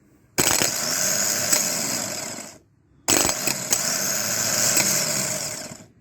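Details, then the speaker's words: 2009 Dodge Caliber manual, replacement starter bench-tested before fitting after the original left the car dead: two clean, even two-second whirring bursts winding down smoothly; the starter spins freely. "yep it works so let's see if we can get it changed"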